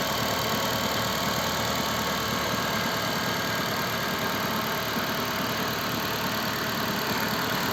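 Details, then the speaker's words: Gentra after overnight -20°C cold start, ECU reflashed to hold raised warm-up idle about 1400 rpm for a minute or so, later 1200; steady even raised idle hum, no knocking, rattling or gearbox whine, which previously appeared at factory 850–900 rpm; normal cold-start fast idle. "где то он должен в около минуты полторы поработать на повышенных оборотах а потом понизится"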